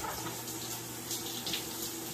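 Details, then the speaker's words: Maytag Bravos XL top-load washer (complaint: not spinning) in diagnostic mode, hot water valve test: strong steady rush of water with an even hiss, no buzzing or chatter; the hot inlet valve is filling properly. "I'm going to pause that. This is going to be your hot valve,"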